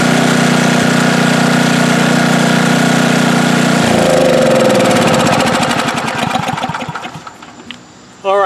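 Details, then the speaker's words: Snow blower small engine after squirrel damage (chewed gas cap, water in tank), with tank, hoses and carburetor cleaned and new cap fitted: smooth, even drone at steady speed, no stalling or surging, then winds down evenly at shutoff; running healthy. "sounds a lot better, doesn't it? No more stalling, surging. I think we fixed it."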